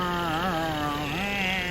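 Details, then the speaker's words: 1980 Mercury Bobcat Ford power steering pump at idle after replacing thin modern fluid with thicker Lucas fluid: faint wavering pump tone, no loud whine, much quieter than before; normal. "you know, Ford Pump 101. And now she shut up quite a bit."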